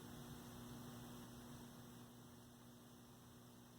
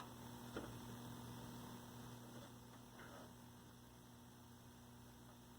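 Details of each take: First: 1965 Zenith 19-inch black-and-white TV, 14M28Z chassis, powered straight from the line: only steady mains hum and faint hiss, no vertical stage singing even when adjusting vertical hold; vertical dead. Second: 1965 Zenith 19-inch black-and-white TV, 14M28Z chassis, after fixing a bad tube socket: quiet, steady low buzz of the vertical output with no crackle or arcing; vertical sweep running normally, hot resistor smell gone.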